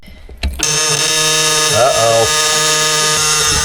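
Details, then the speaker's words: 1962 Kenworth W925 with a Cummins Big Cam diesel, sitting 18 years, key on before cranking. A steady high buzzing tone is the low air pressure warning buzzer. "We got power. That's a low air pressure buzzer."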